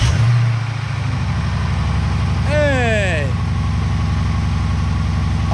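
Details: Dodge Durango RT 5.7 Hemi V8, first start after installing JLT 3.0 oil separator catch can on PCV system; deep even idle rumble, steady beat, no knocks, ticks or misses; healthy.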